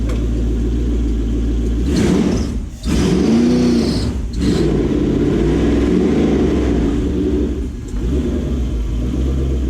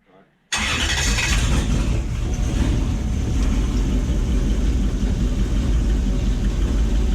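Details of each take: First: Gen 1 non-VVTi Lexus-badged 1UZ-FE V8 in a jetboat, EGR deleted, on a Link ECU Atom, after being fixed from running on 6 cylinders, revs cleanly through several blips with no stumble; all eight cylinders are firing. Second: Gen 1 non-VVTi Lexus 1UZ-FE V8 (ex-LS400, EGR deleted, Link Atom ECU) in a jetboat, briefly run without water: uneven lumpy idle with irregular stumbling exhaust beat, running on 6 cylinders; injector wiring checked with test light.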